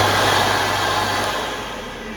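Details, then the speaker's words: Portable electric carpet cleaning machine, first run after replacing the vacuum motors, vac 1 switched on: steady high airy roar, even and smooth as it winds down slightly, no bearing grind; the vacuum motor is running normally. "Wow. Vac 2. Yeah. That's definitely working. That's the first time this has ever been switched on in this house."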